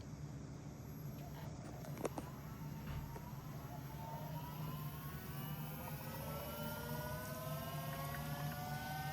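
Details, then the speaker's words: Electric power steering pump from a Holden Astra fitted to an AU Falcon skid car, wired directly to the battery, car raised: starts slow, quiet steady low hum with faint whine rising in pitch; appears to work, no leaks. "It's definitely doing something. Don't burst and blow up and kill me, please. Fucking hell. Got power steering, I think. No leaking, which is a plus."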